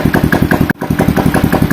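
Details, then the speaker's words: Honda Revo Fit converted from fuel injection to carburettor without changing ignition: quick, even single-cylinder idle with crisp exhaust beat, smooth idle and good throttle response; normal running. "Putaran mesin saat idle halus, dan putaran mesin saat digas juga bagus, teman-teman. Ya, tidak ada masalah sama sekali dengan pedal gasnya, teman-teman. Jadi, motor ini berfungsi normal, teman-teman."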